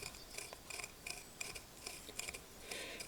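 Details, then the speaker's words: Norton 650 Unified Twin prototype, front wheel off: spinning the bearing by finger gives a dry, gritty rasp with uneven clicks; bearings tight and rough, suspected source of the chirpy noise heard while riding. "There is a noise that I can get it to make that sounds there. Now, bear in mind that's me spinning the bearing backwards and forwards with my finger. Hear that noise? That's all from the bearing."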